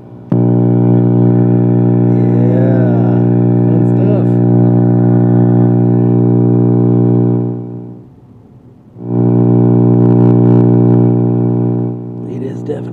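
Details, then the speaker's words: EVH 5150III amplifier, volume at half, channel three: loud steady low buzz with a full stack of overtones, dropping out briefly then returning; milder on channel two, absent on one; preamp tubes swapped and house power checked, cause unknown. "loud you can kind of hear that same hum in two a little bit but not as bad definitely not in one"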